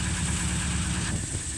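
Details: 1936 Rover 12 tourer, about 90 years old, first start in March after three months' winter layup, head cleaned last year, about 7 °C outside: steady, even low cold idle, no knocks or misses, oil pressure 20 rising toward 30 when warm; normal cold idle.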